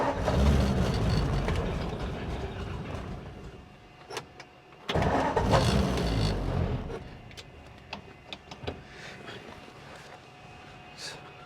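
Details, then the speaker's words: 1947 Ford, carburetor primed with gas: starter churns in steady pulses about four a second, stops and retries, never fires; crank no start, cause suspected not confirmed. "Dump some gas down the carb here and crank it over. See what happens. That should be enough to fire it. Might have to do this one more time. Sometimes it doesn't catch right away."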